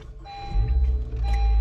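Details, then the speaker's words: 2021 Honda HR-V after dead battery replaced: engine rumble with electronic chime twice at start-up as radio loads and fails to detect steering switch controls, which need reprogramming. "you hear the sound and your radio starts loading and it's going to go through this screen and it's gonna be detecting steering switch"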